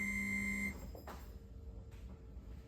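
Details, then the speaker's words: 1979 Porsche 911SC with upgraded ignition, no-start, engine off with fuel pump switched on during fuel pressure check (35-40 psi expected): steady high squeal pointing to a leaking injector, suspected. "so it looks like we got an injector leaking down so we're gonna go check those out yeah you're not supposed to hear that squeal when you just turn the fuel pump on"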